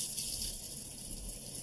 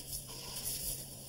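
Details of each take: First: Kitchen faucet noise traced under the sink to the cold-water shutoff valve, not fully open: steady hissing rush of water with a faint high whistle, no pulsing; partly closed valve throttling flow. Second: Hot-water side of a kitchen faucet brought in for being loud: just a soft, even water hiss with no hum, chatter or whistle. It runs quietly and normally.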